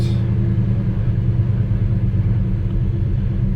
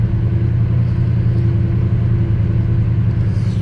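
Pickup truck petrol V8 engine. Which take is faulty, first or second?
first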